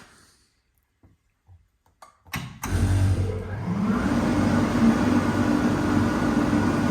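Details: 2005 Kaeser SK 21 11 kW screw air compressor, 15,239 total hours (about 5,000 under load), fully serviced: a few clicks at start-up, then the motor kicks in and settles into a steady, even drone with smooth hum; healthy.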